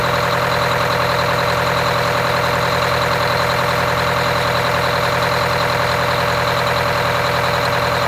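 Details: Wanderlodge RV bus, Detroit Diesel 8V92TA two-stroke after four new pistons and liners, started for first test drive: constant, even diesel drone with steady pulse, no misses or knocks. Normal idle.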